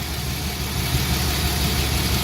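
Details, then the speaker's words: BMW E36 with cold-start transmission limp mode, coils swapped during diagnosis; rough, lumpy idle instead of a smooth hum, one cylinder dropping out from a failed ignition coil pack. "Let's fire it up. Hopefully this battery's still doing the trick. Cool. Good and misfiery."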